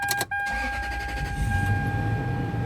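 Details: 2001 Toyota Sequoia started right after an oil change: brief cranking, catches within half a second and settles into a steady, even idle with no knocks or misses while oil pressure slowly rises; healthy start.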